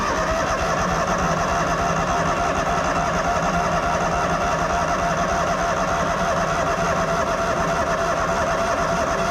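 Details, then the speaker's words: Miller Bobcat 225NT welder/generator, older Kohler engine, after fixing the idle module: runs steady and strong, then drops sharply as it automatically idles down; normal automatic idle control. "so hopefully you should be able to hear it well yeah you you should be able to hear the motor idle up and down"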